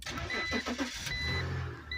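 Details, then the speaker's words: BMW after a transfer case install, cranking in a few quick pulses before the petrol engine catches and settles into a smooth, even idle. Dash lights are on, and the front differential is noisy when driving. "Starts up. Sounds good."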